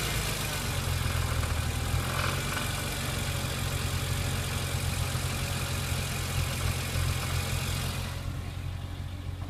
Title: Rattle noise